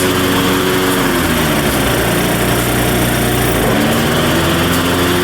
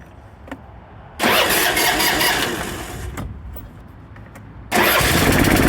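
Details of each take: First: Craftsman LT1500 riding mower, blades just refitted: steady slightly fast idle, even drone, no dips; idle sounds high, governor nut appears previously turned, owner checks governor adjustment. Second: Craftsman LT1500 riding mower after blade, deck, drive belt, battery and steering work (valves needed adjusting, no smoke): a couple of cranks, then it fires and holds a steady, even speed with no hunting; sounds leaps and bounds better, normal running.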